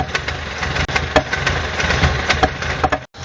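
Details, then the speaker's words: 2000 Renault Laguna 1.6 petrol, hard to start: idle surges and sags with no pedal input, with irregular sharp pops at the intake, where a leaking intake valve was suspected. "On va essayer de mettre le véhicule en route et on a beaucoup de mal à le garder, le régime est très instable. Alors qu'il n'y a pas d'action au niveau de la pédale d'accélérateur."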